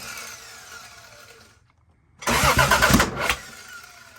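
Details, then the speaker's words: Toyota Supra, cranks but no start: battery voltage drops to 10 then 8 while cranking; starter chatters in a quick uneven burst instead of spinning smoothly; suspected insufficient current to starter, new battery considered, unconfirmed; stuttering weak crank. "Es el motor de arranque que hace ese pase así. No está llegando suficiente corriente al motor de arranque."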